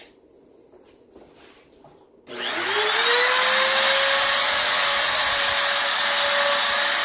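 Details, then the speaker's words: Grizzly T27139 quarter-inch laminate trim router with plunge base, about 4 months old, cutting a circle: near silence, then the motor restarts by itself into a steady high whine after cutting out; switch and speed control had no effect; intermittent cut-out, cause unknown. "so as you see the machine just shut off i flipped the switch on and off a couple times nothing i tried to speed control nothing"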